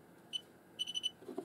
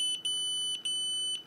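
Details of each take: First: Xiaomi Yi action camera gives a short high beep, then four quick even beeps and a click: the normal stop-recording signal, after the SD card error was fixed by reconnecting Wi-Fi. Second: Xiaomi Yi action camera beeps three times and refuses to record because it cannot read its 32 GB class 10 microSD card; fix is formatting card on PC as FAT32, 32K.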